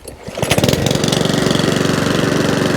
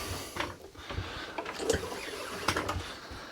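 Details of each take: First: Mountfield 414/164 self-propelled mower rescued from a tip, restarted, drive works, running as it should: catches after a few pulls, then a quick even putter with no stumbles or surging. Normal running. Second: Non-running Mountfield 414/416 mower from the tip, pull-started on carb spray with dead man's handle off: ragged pops then a brief rough burst that dies; fires but won't run right, owner suspects gummed-up carburettor needing a clean.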